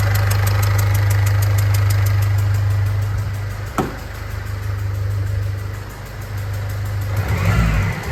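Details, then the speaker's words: Ford Fiesta diesel at idle: fast, fairly even tick over the idle with faint whine (suspected power steering pump or alternator), diesel smell in cab and slight smoke; crushed injector washers leaking, fixed by replacing them. "So as you can hear, the biggest problem with this car is that loud ticking noise we've got. We also got a whining from the engine bay. So with the ticking noise, there's a strong smell of diesel coming through into the cab."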